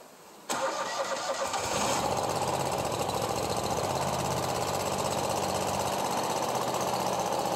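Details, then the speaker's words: Commercial zero-turn mower engine flooded with water through a broken intake manifold, cleaned out, with new spark plugs and the air filter off: catches after a brief crank into an uneven, sputtering idle while burning water out of the muffler. Rough running. "all right so what that is that's water that was in the muffler and we're burning it out of there right now so I'm going to let it warm up"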